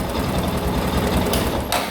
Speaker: tá aí galera moto perfeita vou entregar agora para o proprietário